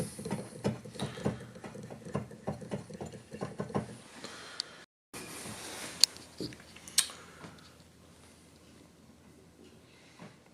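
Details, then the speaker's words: Used Kawai VPC1 digital piano keyboard: a run of hollow, uneven clunks as keys are struck, some thuddier than others. The keys are worn with oversized gaps; abnormal action from abuse. "And finally this one. And once again, you can hear the clunky difference."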